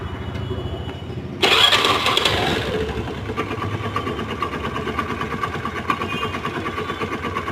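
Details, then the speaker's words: Old-model Honda Activa scooter engine seized from oil starvation after an oil leak (seal leaking) went unrepaired; after petrol wash, harsh labored cranking bursts then a rough, clattery catch and uneven running; engine to be opened for rebuild. "Start गाड़ी हो चुकी है पूरी seize इसका हम खोलेंगे और बताएंगे इसके बाद क्या-क्या सामान डलता है क्याक सामान खराब हुआ जाएगा"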